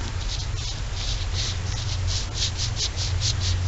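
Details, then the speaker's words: Cub Cadet 2185 mower deck spindle bearings (top and bottom), spun by hand with the deck removed: light, rhythmic hissy rasp with no hard grinding or catching; slightly noisy but spin freely and seem okay. "You can hear this one. You can hear that one, but they seem to spin pretty freely."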